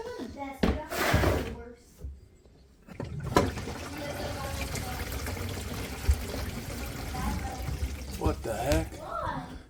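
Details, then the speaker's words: Kohler sink blocked in the trap: gurgling, sloshing gives way to a sudden steady rush down the drain as the clog apparently clears by itself. "Did you hear the the sink rush like that? So, it was right here. Huh. That's a first."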